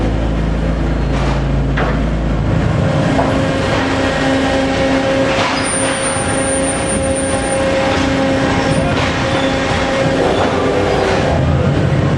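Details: Phoenix Omag Cuber during travel: steady rumble with irregular sharp pops a few seconds apart; not a mechanical issue, machine settings change the frequency but don't eliminate it.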